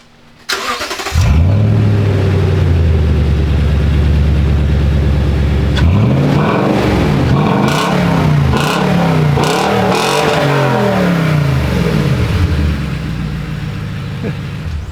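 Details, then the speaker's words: Toyota Tacoma with custom race mufflers and a pre-cat dump, starting up: engine catches into a loud steady idle, revs rise and fall; slightly uneven breathy, vacuum-like note at startup, cause unclear. "but did you see when it starts up it sounds kind of wonky sounds like a vacuum"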